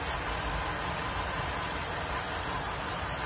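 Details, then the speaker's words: Honda CR-V gen 2 automatic, 2.4L running on LPG: steady quiet idle with even hum and light mechanical patter, no misses or knocks; normal idle. "Kita cek idlenya lur. Idle seperti ini lur, stasioner, putaran stasioner seperti ini."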